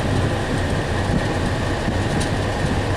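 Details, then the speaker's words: 2006 Chevrolet HHR with 333,740 miles, after cabin filter replacement: blower on high gives a strong, even rush of air with no rattle or squeal and a little blower motor noise. Airflow went from 15.1 to 18.9 at the vent. Normal operation. "made a big difference. Sounds like I got a little blower motor noise."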